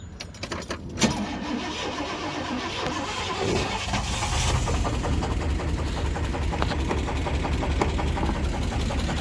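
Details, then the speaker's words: 1998 Chevrolet Sierra 350 V8 after spinning rod bearings on White Bird grade, restarted cooled down: fast uneven knock about two to three per second at idle; teardown found one burned, blue rod bearing and one loose. "I kind of want to see if the knock has gone away because it's cooled down again, but either way it's probably gonna make some sort of noise, so we'll see what it sounds like here."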